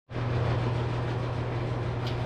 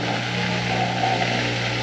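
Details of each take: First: Bosch Nexxt DX washer WFMC4300UC/01 showing red E04 error on drain cycle: steady rough drone with gritty, rasping edge, sounds like gravel at the pump/filter area; drain pump suspected as the cause and later replaced. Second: Bosch Nexxt washer WFMC4300UC/01 after replacing drain pump (assembly 00436440) for E04 error, drain cycle: steady hum with water rushing, slightly noisy at first while full of air; normal drain pump operation.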